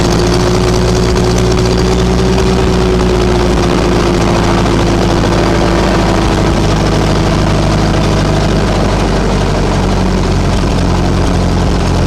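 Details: Ferguson TO-20 tractor with 12-volt conversion after fitting a new alternator: steady low drone with an even beat and a smooth throttle change, no knocks or misses; alternator charging after initial throttle-up; normal idle.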